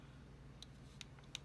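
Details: DJI Osmo Mobile 2 gimbal right after power-on: a low steady motor hum with sharp little clicks, caused by a loosened clamp joint letting the motors chatter; tightening the clamp stopped the noise.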